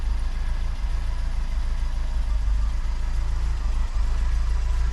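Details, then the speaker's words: Austin Allegro 1300 Super, first start in months after jump start on a cold day: low, steady, even four-cylinder idle with no misses or knocks; sounds happy and healthy. "She sounds happy. Really happy."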